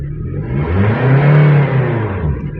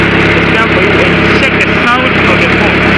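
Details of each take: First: Power steering pump check with the engine revved once: engine rises smoothly and falls back, no whine or groan from the pump. Pump judged soft and good. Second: Engine idling with a loud, steady whirring whine while steering stays hard; failing power steering pump that needs replacing.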